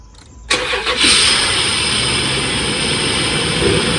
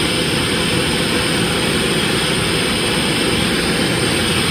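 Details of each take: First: Cold start of a sludged Dodge Dakota 3.7 after replacing three collapsed lifters without removing the camshaft: brief crank, catches and settles into a steady idle with no ticking yet; loud hiss is from open vacuum lines; normal cold start. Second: let's crank her up now this is a cold start it never did have a tickle to cold start so it may still come but so far so dirty all that noisy here is vacuum lines that are open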